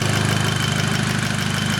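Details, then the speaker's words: Rebuilt Mk5 VW Golf GTI petrol engine on first run, idling after 5–6 minutes with the auxiliary belt refitted: steady, even idle with a smooth low pulse and a faint high whine; it sounds good. "uh engine sounds good as well um yeah it's ticking over nicely"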